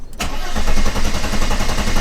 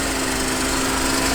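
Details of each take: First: 1991 Mercedes 300E, about 200k miles, non-running, in park: steady, even cranking about four beats a second for three seconds that never catches; suspected no spark, distributor being investigated. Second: 1991 Mercedes 300E with about 200k miles, previously non-running, just started after wires were reconnected: a short, steady, even inline-six run with no misfire or knock. Normal idle.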